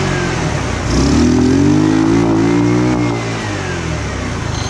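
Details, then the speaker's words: 150cc GY6 scooter after swapping in a new six-pin CDI, which didn't help: catches, revs unevenly and sags toward stalling, surging and stumbling instead of idling; owner suspects carburetor or out-of-spec valves. "all right so the cdi didn't work um i'm starting to think it's maybe something with the carburetor um or a rough start before it's warmed up is indicative of valves that are out of spec"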